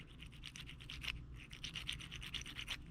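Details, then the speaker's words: 2012 Camaro SS LS3, about 160k miles, squeaking mostly at idle; a removed roller lifter is twisted by hand and gives quick dry squeaks in short bursts from play in its worn needle bearings, identified as the source. "can almost replicate that squeaking noise so if you keep running them like this you hear that squeak you pull the oil cap off and if you can hear the squeaking get louder shut it down"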